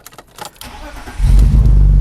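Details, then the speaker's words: 2002 BMW 325i E46 that cranks but won't start: the engine catches and runs steadily when 12 V is fed directly to the ignition switch's green wire, and stalls when that power is removed. The ignition switch is faulty. "now i'm going to crank the engine and there you go the car starts"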